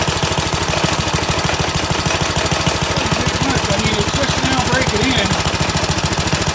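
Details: Rebuilt Briggs & Stratton 135212 5 HP flathead go-kart engine (had seized valves, broken tappet), air cleaner fitted, started on choke: crisp, even single-cylinder putt, about three beats a second, no knocks or misses; normal running.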